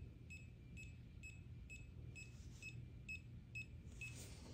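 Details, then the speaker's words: TESMEN TSM-192 smart multimeter's no-contact voltage function held to a live extension cord: short high beeps about twice a second over a low room hum; very sensitive, it also picks up a 5 V phone charger cord. "it's very sensitive. I've held this up to my phone charger cord, which is only like 5 volts. Yeah, picks that up."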